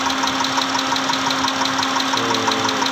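Sharp, regular ticking knock about twice a second over a steady idle hum; clear knock at idle, cause not yet pinned down.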